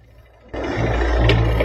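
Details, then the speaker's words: Twin-tub washing machine, spin switch knob worn so it must be pressed hard: deep steady mains hum with no spin-up, motor stalled; humming spin motor being checked, suspected broken winding. "Mesinnya berdengung. Terdengar tidak? Terdengar suara dengungan mesin. Mesin berdengung dan knopnya dol."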